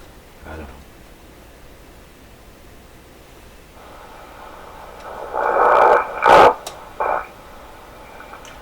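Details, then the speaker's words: Heathkit SB104A transceiver during VFO output-level adjustment: low static then warbling whistles and chirps near 1 kHz as the control is turned; spurious receiver tones. "I'm gonna turn it to the extreme minimum okay what is all that stuff there seems stable now"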